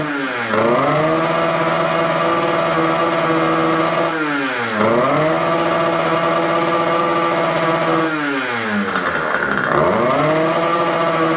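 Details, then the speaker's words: Warmed-up Rieju MRT two-stroke: on three throttle blips the revs climb, then hang and flutter instead of winding out; smoking oil-rich, and mechanic unsure of ignition timing or carburettor setting; finding is a restricted air filter. "widzieliście i Słyszeliście silnik naprawdę nie chce się wkręcić na obroty jakby chciał albo go coś trzymało"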